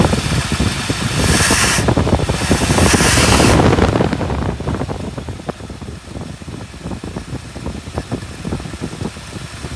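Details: 1959 Buick V8 running nicely after a crank-no-start with weak spark, with aftermarket toggle switches apparently wired to two ignition coils: after a burst of hiss, even loping idle, no misfire. Normal idle.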